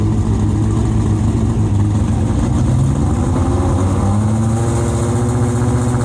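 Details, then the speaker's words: Late-1980s IMSA GTO Gen 3 Camaro V8 race car with 90 mm exhaust pipes: very loud, deep, raw bark with a harsh edge, measured 117 dB at 4,000 rpm against a 105 dB limit; silencers essentially empty. "So we did a noise test on it, and what was the noise? 117 decibels at 4,000 RPM. The limit is 105."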